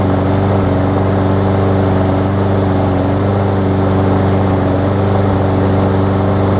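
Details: Briggs & Stratton Quantum push mower engine after cleaning a clogged carburetor main jet: steady even single-cylinder thump at settled speed, no misses or surges, slightly smoky; runs cleanly on its own.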